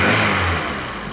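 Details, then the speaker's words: Renault Twingo four-cylinder, which had low compression on cylinder 4 and a rough three-cylinder idle, started after repair and reassembly: steady, even running settling to a calm idle without stumbles. The check engine light remains on. "et ben un beau petit ralenti là super on est bien là"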